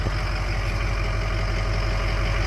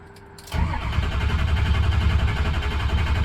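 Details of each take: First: 2004 Ford F-350 diesel after crank-no-start fixed by replacing both fuel filters, batteries low: smooth even diesel clatter at steady idle, no misses or knocks; normal idle. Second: 2004 Ford F-350 cranking steadily at about three to four turns a second for four seconds without firing; no fuel in the bowl, both fuel filters gunky with debris in the fuel, being replaced.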